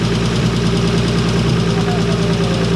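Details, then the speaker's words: Nissan 180SX with RB20 engine, first start: steady idle with a light, uneven tick about three times a second, seemingly from one side of the engine; not exhaust; cause unclear. "oh there we go that's not exhaust that sounds like it's coming from like up on this side actually though that"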